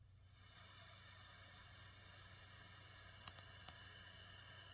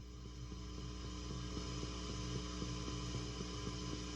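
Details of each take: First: Bass amp at full volume powered through a Caline CP-207 isolated pedal power supply, with a bass compressor in the chain: a steady soft hiss with no mains hum, cleaner than the cheap daisy-chain supply. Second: Pedals off on a daisy-chained pedal power setup into a small bass amp with pre-gain turned up: steady low mains hum with a faint chirp about four times a second, suspected from one poorly designed pedal.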